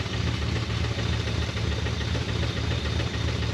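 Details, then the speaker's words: 1980 Dodge truck with a 360 V8 after sitting about 18 years, running and smoking: a heavy, deep, steady knock three to four times a second over a rough idle; bottom-end rod knock. "oh my poor 360 with a rodnock she's knocking like a mofo she's knocking but nobody's home"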